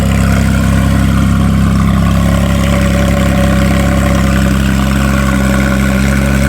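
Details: Salvage-auction wrecked car with front-left frame damage, running off a jumper pack through a loud aftermarket exhaust: very loud, deep, smooth, even drone with no knocks or misses. Normal idle and rev.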